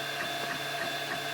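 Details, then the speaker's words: MakerBot Replicator 2 at about 45 print hours, after rod lubrication and extruder drive gear cleaning: steady stepper hum with soft rhythmic pulses, extruding PLA with no squeak from the X-axis idler pulley or Z-axis threaded rod. "so that was my first go at MakerBot replicator 2 maintenance I don't hear any squeaking and we're extruding so I guess that's good"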